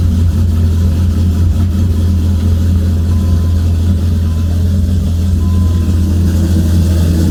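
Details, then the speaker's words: Dodge Viper V10 idling in the garage shortly after start, after sitting unused for a while: low, smooth, constant rumble with no rhythm changes, knocks or hiss, loud enough to annoy neighbors. Normal healthy idle, no leaks. "[Music] really good way to piss off your neighbor"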